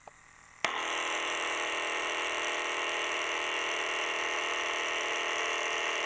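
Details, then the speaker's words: Small pulley-drive motor in an old 1980 Ferguson 3T11 radio cassette recorder: click, then loud steady hissing buzz with thin whining tones; noisy motor, to be replaced with a modern clockwise electronic-control motor. "can just hear how noisy that is so what to do well of course the answer is to replace it with a more modern unit"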